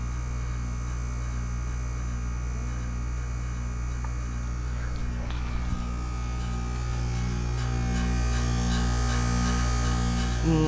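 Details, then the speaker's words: 2008 Goodman packaged heat pump at 36°F, just entered a 3-5 minute defrost after running all morning with heat set to 71: steady low compressor hum with buzzing tones that shift and grow louder. Normal defrost cycle. "okay so it is 36° out here 36° F and The Goodman's defrosting and we are going to sit out here and watch it defrost it just started it just turned into de defrost mode"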